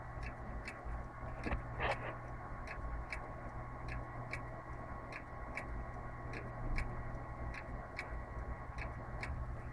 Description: i dont know what technical problem is, but i think its on the hardware , particularly the hard disk.